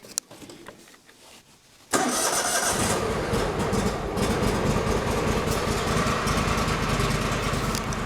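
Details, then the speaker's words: Toro lawn tractor, 240 hours, cold start with choke: quiet, then the small engine catches at once and settles into an even, steady run with no stumbling or smoke; healthy cold start. "It actually didn't smoke. It's gonna die. Because it usually dies the first time, but it didn't smoke, surprisingly."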